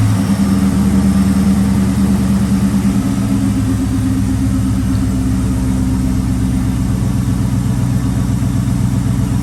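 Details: Ford Mustang Bullitt after replacing a stuck starter that dragged on the flywheel: engine catches and settles into a steady, even low idle with smooth rumble, no grinding or scraping; repaired.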